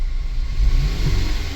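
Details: 2013 Chevy Malibu with a deep, lumpy idle and uneven thumps breaking the rhythm; check engine light flashing, misfire counts on cylinders 3 and 4 moved with the swapped coil, so the misfire is traced to a faulty ignition coil.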